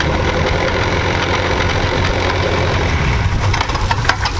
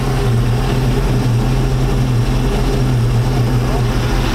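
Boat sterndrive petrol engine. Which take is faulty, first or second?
first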